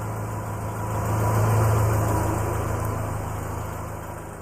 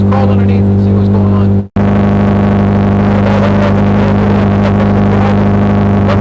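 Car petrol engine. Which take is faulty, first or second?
second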